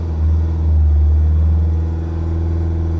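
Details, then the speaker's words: Vauxhall Vivaro B 1.6 CDTi diesel just started after a fuel filter change during a full filter service, revs held at about 2,500 to purge air. Steady, even drone at a fixed raised speed, no surging, misfire or stumble; the engine runs cleanly. "and then what you want to do is start it and if it starts straight away pick up the revs and hold them about 2 and a half which sometimes if you look it'll just keep it running"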